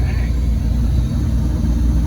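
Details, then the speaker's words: 1979 Bayliner inboard, just rebuilt, idling with water supply after idle dropped slightly: deep, even rumble, no knocking or miss; oil pressure good, charging, little blow-by. "Still charging. RPM gauge is not working. But Pretty good. it's running. Sounds good."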